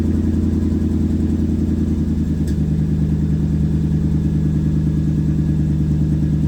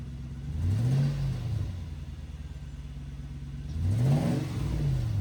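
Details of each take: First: Loud, raw, deep rumble at idle that roars up on a throttle blip from a Toyota 100-Series Land Cruiser; the cats and muffler are rusted through and leaking badly, with nothing left to weld or patch. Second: Toyota 100-Series Land Cruiser exhaust after a welded repair of the badly leaking cats and muffler section: two clean rev blips rising and falling smoothly with no puffing or ticking, sealed and healthy, no rattles, not too loud.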